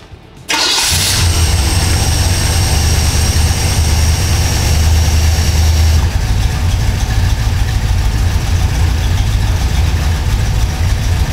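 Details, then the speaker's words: V8 with FiTech EFI cranks and settles into a rough, uneven idle with a stumbling exhaust beat from a cylinder misfire; air-fuel ratio hunts from near the 14.5 target up to about 15.3 while the engine actually runs rich, billowing black smoke. "he computer's always going to be chasing itself trying to correct the air fuel ratio until we correct that cylinder misfire the system's not going to stabilize"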